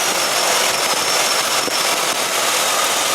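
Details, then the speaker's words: 2006 Ford Explorer 4.0 SOHC V6 at idle after replacing a failed harmonic balancer that threw the belt: even hiss and whir, no slap or flutter, nice and quiet, belt tracking straight with no bouncing. "nice and quiet just like it should be just make sure the belt's tracking properly and everything looks good"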